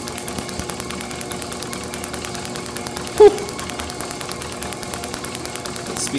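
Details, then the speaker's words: International H4 magneto from a parts Farmall MD, cleaned and overhauled for a TD-6 crawler, on the tester after about five minutes' running: crisp, evenly spaced ticks roughly seven a second at slow speed, none skipped; normal firing. "As I've been sitting here, it's been running for about 5 minutes. My camera's been running and I have not heard it miss a single tick."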